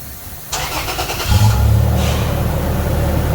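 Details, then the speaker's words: 2008 Toyota Tacoma after installing a Walker Quiet Flow stainless muffler: cranks, catches in half a second, settles into a deep, even, mellow exhaust rumble revved up, no rasp or rattle; quieter. "Yeah, rev it up! Sounds a little better."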